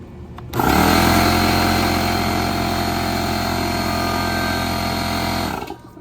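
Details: Porter Cable 6-gallon pancake air compressor that wouldn't start, after loose wire connections inside the motor housing were secured: the motor starts cleanly with a steady hum and rapid pump beat, then stops. Running normally.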